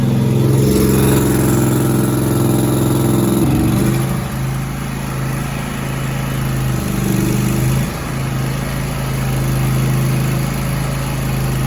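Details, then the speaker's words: Zero-turn mower, Grasshopper or Toro, sitting about four months with stale carb fuel, started with external fuel sprayed into the intake: catches and settles into smooth, even running with good idle, no misses or surging. "Uh-oh, we got something. Got good idle. yeah."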